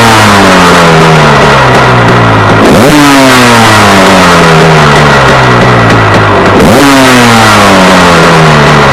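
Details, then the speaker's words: Warm KTM 250 EXC two-stroke on 40 pilot jet, idle lifted slightly: revs sag and hang, then flare up every few seconds; it runs away from being too lean. "And um it'll it'll start to run away. Just gets too lean and starts to run away. And you can listen to the noise it makes as it's running down."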